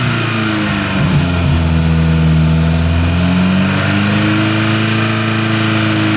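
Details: Porsche 924 Turbo after new spark plug wires. Steady, even idle climbs smoothly through a couple of throttle blips and settles back without misses; the engine sounds healthy.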